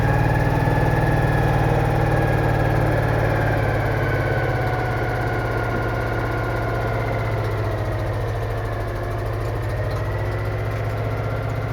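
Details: Citroën Méhari air-cooled twin idling after exhaust leak repair, fan refitted, check before test drive; even low steady beat, no ticks, puffs or exhaust chuff; healthy.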